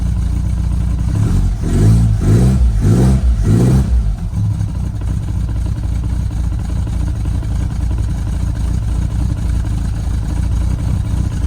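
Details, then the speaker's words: Lotus Elan restomod, cold engine on choke blipped four times: each rev brings a rhythmic knock as the bottom of the carburettor hits the top of the footwell; the planned fix is cutting the fiberglass lower. "that knocking you can hear by the way is the bottom of the carb hitting the top of the footwell i will have to come up with a solution for that"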